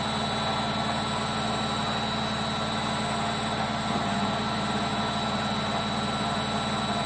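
A steady, heavy roar with a faint whine holds through the spin, with no rhythm to it: worn drum bearings.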